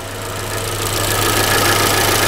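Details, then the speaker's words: Engine idling steadily with a light, fast top-end tick riding over it; the ticking seems to come from the cylinder head. "beleza é esse barulhinho aí pessoal e parece que é do cabeçote"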